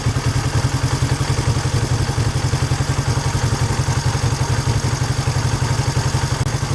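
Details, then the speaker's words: Honda 350/450 twin motorcycle after throttle cable, carburetor sync and idle mixture adjustment, idle raised 1/8 turn per side: an even, steady putter at about 220 beats a minute. It does not pop or miss when revved; clean, normal idle. "Sounds pretty good. Let's see how it does when it revs up. See if it pops or misses. Doesn't pop or miss."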